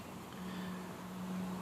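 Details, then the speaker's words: 2005 Saturn Vue washer with a full tank: faint steady pump motor hum with no spray, only a little or no fluid comes out; suspected clog. Washer pump runs but no fluid flow. "So a lot of times what happens here is u this the motor's running so you can hear it the pump is working. You can hear it trying to pull through and in my case it's just putting out a little bit and sometimes it doesn't put out anything."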